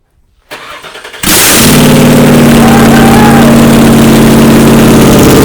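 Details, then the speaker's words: 1979 Toyota Cressida with swapped 5.4L V8, first start after reseating poorly plugged ECU connectors: short crank, fires hard and settles into a strong, even idle; starts and runs properly. "oh gosh so that's what it was that's what it was those plugs they weren't plugged in properly"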